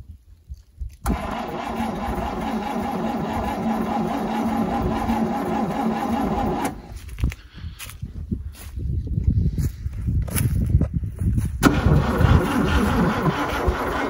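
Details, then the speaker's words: 1971 International 1310 V8 grain truck with a bad accelerator, fuel poured into the bowl: the starter churns steadily for several seconds, then tries again in ragged bursts, and the engine turns over and almost catches but never starts. "i got one crank it over come on baby she's a turning i like your gas though maybe she'll go now she almost did yeah"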